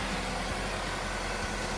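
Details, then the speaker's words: 2013 Chevrolet Equinox after P0420, new catalytic converter and exhaust manifold fitted (manifold bolts 10 ft-lb, cat 35 ft-lb), first start, AC off: quiet, steady, even idle, no ticking or puffing; no exhaust leaks, normal idle. "All right, well, don't hear any exhaust leaks."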